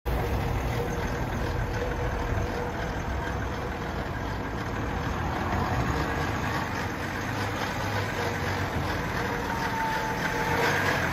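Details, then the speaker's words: BMW X5 4.0 twin-turbo 6-cylinder diesel, N57 engine, driven from Switzerland: idle clatter with fast steady metallic rattle; excessive timing chain noise that began en route. "aracın zincir sesi özellikle aşırı derecede gelmeye başlamış bunları sizlere göstermeye çalıştık"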